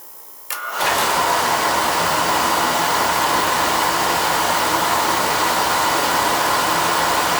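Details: Burner after a loose 110 V ground connection was found and tightened, on a call for heat: lights with a soft thump, then settles into a steady, even roar with no flutter or popping; firing normally.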